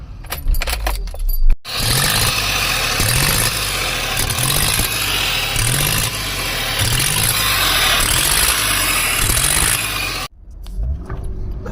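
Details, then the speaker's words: 2007 Honda Odyssey after valve cover gasket replacement idles smoothly but stumbles and bogs on each throttle blip; crumbling intake air boot leaking unmetered air, car went into limp mode, fixed by replacing the boot. "still have the problem the car sounds fine but when you gas it it's not fine I don't know what that is"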